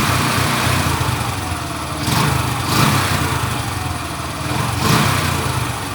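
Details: Small engine after cleaning water and rust from the carburetor and clearing its jets with wire: steady chugging with slow rise and fall in revs, no knocks or stumbles; running properly now.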